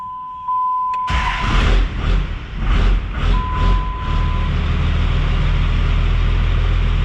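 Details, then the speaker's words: 5.9 Cummins 12-valve diesel truck after fitting 4K governor springs: uneven surges as it cranks and catches, then a very slow, heavy idle around 300 rpm that dies. The idle adjustment is not yet dialed in. "Does it die? It does. We're getting closer though. It tried to idle around 300."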